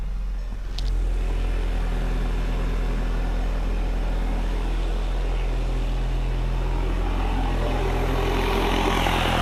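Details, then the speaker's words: Tuned VW GTI running poorly, with the PCV system blocked off: an uneven idle with a growing hiss, and oil pushed out. Vacuum leak from the failed diaphragm of the PCV oil separator. "holy jeebus i found the vacuum leak"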